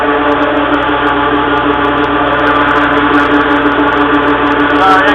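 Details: Bulk dry tanker unloading blower at about 15 psi near the end of unload, tank emptying: loud steady mid-pitched drone with even tone and no surging; normal blower running.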